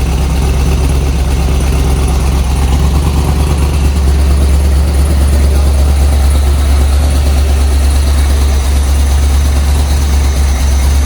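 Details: 50th-anniversary C5 Corvette Z06 V8, about 50,000 miles, running after new Siemens Deka 80 injectors replaced the old ones: deep, steady idle rumble holding an even rhythm without stumbling or misfire; normal idle.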